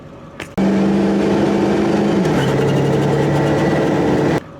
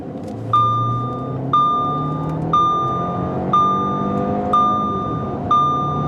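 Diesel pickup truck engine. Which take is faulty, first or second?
first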